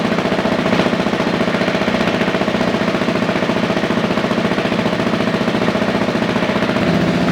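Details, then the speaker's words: Husqvarna 701 big single on first start after valve re-shimming and an ECU retune: a steady, even thumping idle with a regular beat and no knocks, misses or rattles while warming up. Running healthy. "Push start. Push start. Wow, that actually started up really quick."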